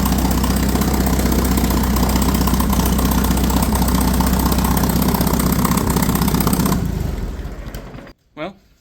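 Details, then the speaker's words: Ford 960 tractor after a service: engine runs with a steady, even beat of about four pulses a second, then shuts down cleanly; starts easily, about 35 psi oil pressure at idle, charging; healthy. "can't argue with that. Seems like it starts pretty easy. Runs pretty good."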